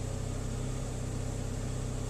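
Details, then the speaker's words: 2001 Saab 9-3 SE Convertible High Output Turbo four-cylinder warming up at 39°F after a water pump replacement. The idle is a steady, even low rumble with a regular beat, and the earlier knocking is gone, confirming the old water pump caused it. Normal idle. "you listen that knocking noise is gone which confirms that it was the water pump that was making that noise"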